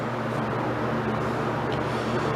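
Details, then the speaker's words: Wisconsin BKN running after Fairbanks Morse magneto repair with a new, thicker cap; steady, even low drone with no misses or surges, despite a cracked plug wire. Normal running. "So, sounds pretty good."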